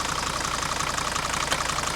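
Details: Rusty 1980 Mercedes W123 300D diesel from a scrapyard, idling during oil-cap blow-by check: steady, even idle with fast regular clatter, no misses or heavy knocks; cap just dances, healthy engine with good oil pressure.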